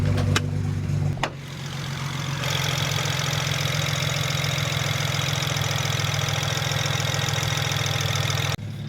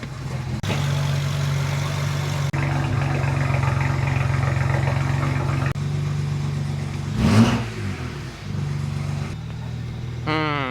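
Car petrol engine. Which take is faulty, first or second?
first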